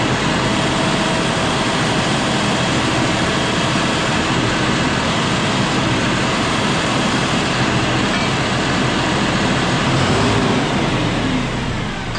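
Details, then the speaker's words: John Deere 5067E tractor, 30 hours, after tightening loose intercooler/turbo boost hose clamps that leaked boost; steady even diesel roar with no hiss or turbo whistle; normal running. "Probably won't hear the turbo whistle like we did when it was pulling before, but it's going to have more horsepower, I guarantee it, because it's going to get all the boost."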